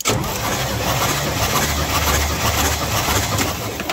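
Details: 1953 Chevy truck V8, worn with evidence of oil burning, compression test with the gauge on cylinder 1 (reads about 145–150). Continuous starter cranking, roughly two beats a second and a bit uneven, never catching; low compression from wear.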